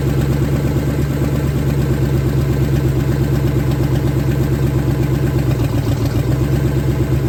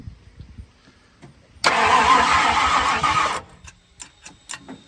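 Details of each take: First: 1970 Ford Falcon, freshly budget-rebuilt 5.0 V8, cold, on open shorty headers, cold oil pressure about 70–80. Steady, even idle with a smooth low pulse, no ticks or knocks; starts easily, no weird noises, healthy. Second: 1970 Ford Falcon with a budget-rebuilt 5.0 and AOD, first start attempt: the starter spins the engine in a steady churning rhythm for under two seconds, never catches, then quits. It cranks but won't fire.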